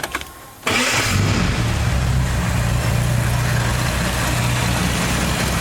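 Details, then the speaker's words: 1982 Ford Cortina TE Mk4 80, carburetor engine, cold start, needs no choke, after filter and clean oil change: cranks briefly, catches at once and settles to a steady even idle; starts easily. "we'll pour some clean oil in it we'll have a listen reach in it starts quite easily"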